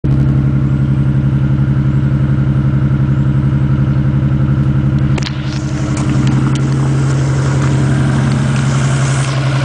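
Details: 1987 Toyota Supra Turbo, recently bought, fouled plugs replaced with new platinum plugs, high-octane fuel added: lumpy idle with uneven low beat that stumbles now and then; misfire suspected, cause unconfirmed.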